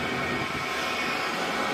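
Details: Diesel heater with power turned down after ignition, battery wired direct to terminals with the meter removed: steady even rushing roar, no ticks, surges or rattles; burning and blowing smoothly.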